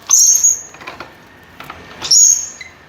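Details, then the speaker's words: Paper guillotine: two sharp high-pitched squeals, each about half a second, as the lever comes down, still present after oiling; squeaking traced to a loose screw at the blade lock latch. "Por que essa jossa tá gritando igual porta de filme de terror ó ela tá gritando quando Desce"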